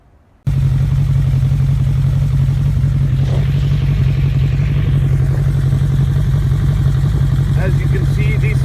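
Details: 2001 Suzuki Bandit 1200S warmed up before carburetor vacuum sync: four-cylinder idle with slightly lumpy, uneven pulse and loose mechanical chatter; gauges show carbs way off, needing sync.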